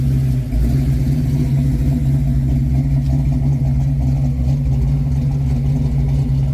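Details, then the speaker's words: 1995 Ford Mustang Cobra SN95 with 331 stroker V8 and Flowmaster exhaust, revived after sitting: deep, even V8 drone with no knocks, misses or rattles; running healthy. "But as you can tell, it's running good. Got some nice top to it."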